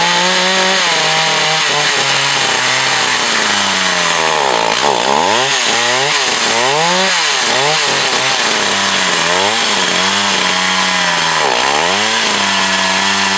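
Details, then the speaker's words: Echo CS 4500 chainsaw, long stored, carb rebuilt. High screaming revs repeatedly sag and recover as the bar bites into wood: bogging under load; owner plans to readjust the carb high/low screws, cause unconfirmed. "all right ah the chainsaw is bugging down"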